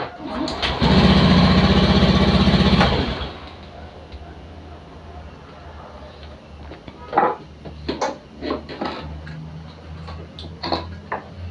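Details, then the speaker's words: Honda Beat FI scooter after the right brake switch starter fault was repaired, started using the right brake lever: about two seconds of starter whirr, then it catches and settles to a quiet idle; a normal electric start. "lalu kita tes kita hidupkan lagi kita tes kita kita coba kita start menggunakan eh rem yang sebelah kanan ya"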